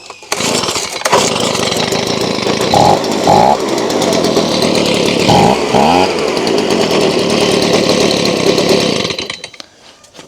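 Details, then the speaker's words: Stihl BG55 two-stroke leaf blower after carb cleaning, started on choke with fuel bulb primed: buzzes steadily, picks up cleanly on throttle blips without stumbling; normal running. "Let's see if it starts under choke. There we go."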